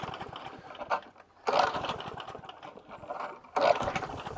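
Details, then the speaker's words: Hayter 41 lawnmower that hit something hard: two pull-cord bursts with only a brief sputter and no catch. It is not a timing issue. Water is in the fuel, a carburettor issue is suspected, and the tank and carb are to come off to drain the water. "well now it's not starting let's get a few more pamps I think a bit of a carburetor issue there so let's get up on the bench we'll have a car be off we'll have a tank off we'll drain drain the water out of the system"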